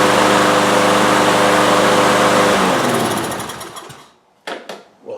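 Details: Troy-Bilt TB360 mower with a Briggs & Stratton Quantum engine, unused for 3 years and not starting, with starting fluid sprayed into the intake: catches and runs with a fast, even beat for a few seconds, then fades, firing on starting fluid.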